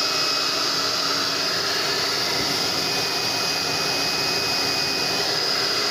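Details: Constant airy rush with a thin steady fan whine and no rattle or scrape from a Tecno Elétrica Fórmula 6000 Turbo hair dryer. It is running normally and already warm after an adapted heating element replaced the repeatedly breaking original, reaching 110°C.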